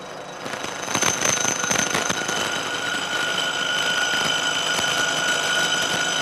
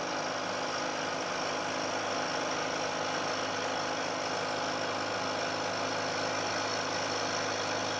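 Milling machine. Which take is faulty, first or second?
first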